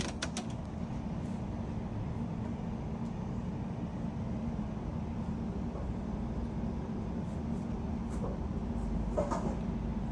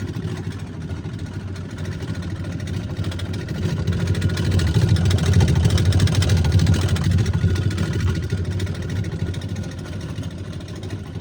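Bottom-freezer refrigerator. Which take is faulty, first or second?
second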